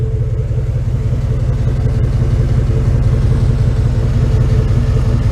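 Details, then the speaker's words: 1995 Chevrolet Tahoe with newly installed V8 engine, replacing a worn 195 hp original, driving; deep even rumble, steady pulses, no misses, ticks or knocks; normal exhaust note. "Anyway, she's starting to wake up, and let's listen to the exhaust."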